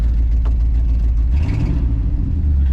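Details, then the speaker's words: 1973 Ford F-250 after fuel system replacement, restarted: deep, steady low rumble with an even beat and no knocks or misses; idles smoothly and sounds right. "Oh no, she sounds right."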